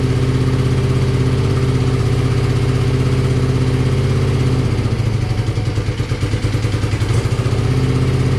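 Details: BMW R65 boxer twin motorcycle (owner thinks 1983 or 1984), on partial choke: deep, even low thump holds steady with no clunks or misses, and it settles into a smooth, healthy idle. The left side smoked noticeably.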